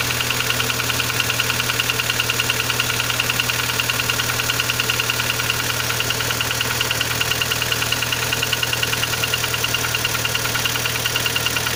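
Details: Kia Sportage 3 engine at steady idle with sharp even tapping about three a second; knock louder cold, quieter warm, present at low driving speeds, vanishes at 60-90 km/h, returns after lifting off and pressing throttle again; source unknown.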